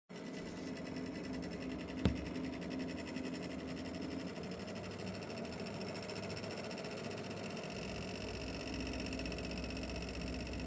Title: RTX 5070 ti rattling noise